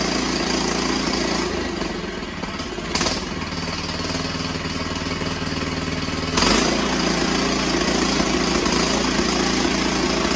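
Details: Cub Cadet XT1 with Kohler 18hp engine, cold after carburetor cleaning and choke adjustment for long cranking: steady idle whose note swells and drops a couple of times; slight surging, may go away when warm.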